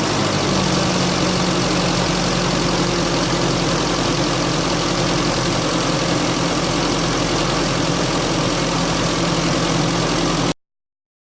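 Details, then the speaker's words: Holden Rodeo 2.6 being prepared for 2020 registration, previously stumbling at idle; after MAF cleaning and adjusting the gap to raise idle revs, it holds a steady, even idle hum with no misses, hunting or knocks, and seems fixed. "At this stage it does seem to be fixed."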